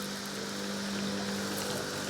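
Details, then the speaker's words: Luba 2 robot mower in its second season, moving with no grass under it: steady airy whir with a constant mid-pitched hum; the blades spin freely without cutting, no knocks or scraping, normal. "because the blades underneath are just spinning, right? They're not really cutting any grass."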